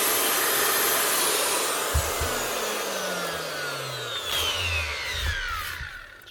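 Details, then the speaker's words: Old Makita 9069 9-inch angle grinder after new bearings and a second-hand head, test run before greasing: clean whine drops smoothly as it coasts down, no grinding, rumble or rattle; bearings sound healthy after repair. "now we're happy out give it a quickly test make sure it is running"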